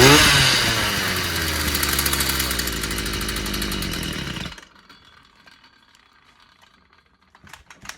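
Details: Stihl FS 55 brushcutter that kept dying and wouldn't start despite new plug and carburetor, after clearing a clogged exhaust: buzzes high and steady about four seconds, then cuts off; starts and runs fine.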